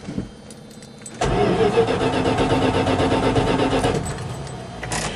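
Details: 1979 Dodge Adventurer 100SE pickup, 30 years old, 109,365 miles, petrol, cold start on choke after ~3 weeks unused: a second of quiet, then cranks and catches into a steady, even run; normal cold start.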